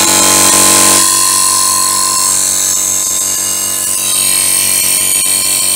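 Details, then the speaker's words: Borrowed air compressor after repair, safety outlet refitted, oil checked, air filter fine; loud even rapid pumping drone about four beats a second, steady under load, builds pressure and cuts off though air escapes from a union needing resealing; normal running. "i'll put that back on and i'll see if the thing starts up fine it's fired"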